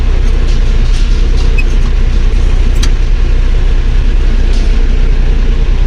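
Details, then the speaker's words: Claas Dominator 48S combine diesel, cold start at about +5°C after four months of winter storage, old battery, cold oil, caught on the second or third crank: deep, steady, even rumble with no knocks; normal cold idle. "Да завівся не з півтика але хо що акумулятор не сильно ну такий вже старенький акумулятор то з другого крутка чи з третього Я думаю що це нормально"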